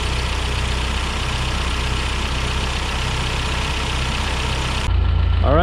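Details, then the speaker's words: 1991 Toyota Pickup 4x4, manual, freshly installed rebuilt 2.4L 22RE long block replacing original with rod knock at 236k miles; first run after oil priming, steady even idle, smooth low pulse, no knocks or ticks, healthy. "so the motors running sounds good just gonna put the hood on give it a good test drive"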